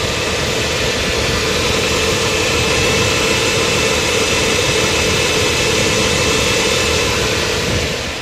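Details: Audi A4 B5 1.8 APT engine, 10W-40 oil, at a steady normal idle with even hiss and hum after the first three to four seconds of cold-start timing chain tensioner knock, which follows a week parked, has passed.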